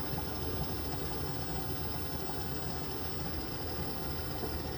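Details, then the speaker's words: Worcester Greenstar Ri boiler after air/gas ratio adjustment (minimum 2 3/4 turns, maximum 8 3/4 turns), burner now staying lit: steady even roar with low rumble, no popping or surging; normal burner operation. "Maximum is 8 3/4 turns. And I've now got it to stay on."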